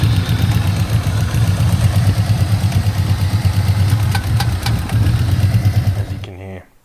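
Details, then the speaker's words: Holden VY Commodore V6 turbo with a semi-forged replacement motor and aftermarket cam, after the first motor failed: a rough-running idle with a steady clattering valvetrain tick until shutdown from a loose rocker arm. Rockers kept coming loose; one later dropped a lifter and pushed the pushrod out the exhaust port. "I just kept having different rockers each time come loose."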